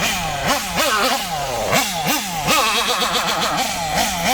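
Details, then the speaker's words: Kyosho MP9 nitro buggy engine, high-speed needle set too lean: quick rev blips stumble and sag before picking up, hesitation from lean mixture; to be richened. "Oh yeah, you can hear it. Listen for the hesitation. It's too lean."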